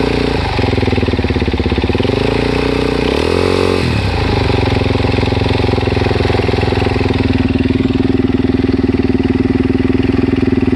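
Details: Suzuki DRZ400S single-cylinder idling with a quick, light ticking over the exhaust thump plus one brief rev, just after replacing the cam chain and cam chain guides.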